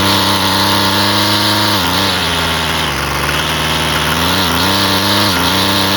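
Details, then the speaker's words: Husqvarna 128LD string trimmer after carburetor replacement, previously barely running and never off choke: high buzzy two-stroke note holding steady off choke with smooth dips and recoveries; normal idle. "Sounds good. And then to turn it off, you just press that, and it's fixed."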